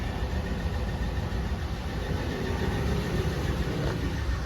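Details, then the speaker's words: Used junkyard 5.7 Hemi V8 just installed in a Ram 1500, fluids filled and radiator burped, idles smoothly and evenly. It sounds healthy, with no tapping, ticking or smoke. "she sounds pretty healthy so even you go on there and turn the key all it sounds good no tapping no ticking no smok"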